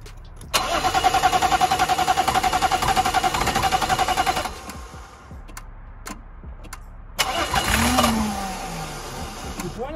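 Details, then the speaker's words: BMW diesel that had stalled while driving and not restarted. Steady cranking at about three and a half beats a second, a pause, then it catches and fires into a run: a normal start. "вот просто чудо будет работать пора он завелся и помощи [аплодисменты] она носит и к гадалке ну и моему раненого пальцы как минимум мотор живой"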